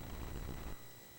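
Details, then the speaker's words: Commodore SX-64 floppy drive after closing the drive lever, which had been left open and made it sound bad: soft low whirr under a second then quiet hum as the disk seats; normal loading, drive works fine. "Oh, that sounded better. Yep. Yep, we're loading."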